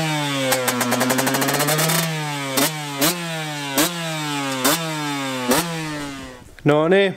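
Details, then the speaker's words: Friend's KTM two-stroke, first starts after engine rebuild, carb cleaned of old fuel and rejetted for winter (48 TK, 182 main jet), bike had sat a while; fires and revs cleanly, crisp blips, returns to idle without stumbling; normal running. "niin, nyt on todettu pyörä toimivaksi ja lätkästiin tommonenkin tonne noin"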